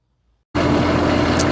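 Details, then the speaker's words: Newly installed Aquastrong HEX075 pool heat pump just powered up; the audible smooth steady hum with faint even whine is mostly the pool filter pump, the heat pump itself being very quiet; normal running. "It's powered up, it's running, and the noise that you hear is the pool filter, actually. This is a very, very quiet unit. You can barely hear it."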